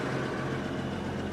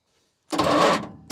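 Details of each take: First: Repossessed cotton picker with an 8.3 Cummins diesel, started after sitting a long time: a deep, even idle with a steady low rumble and no misses or knocks; it runs smooth and settled. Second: Repossessed cotton picker with 8.3 Cummins diesel, full throttle: two sluggish three-second cranking bursts with uneven dragging strokes and no catch; starter labouring against the belt-driven hydraulic pump.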